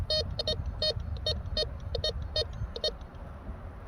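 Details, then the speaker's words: Bounty Hunter Tracker IV metal detector in all-metal mode swept over an iron nail gives quick bursts of a steady high tone, about two a second; tone and discrimination modes reject the nail. "You'll notice the Tracker 4 gave us a high tone."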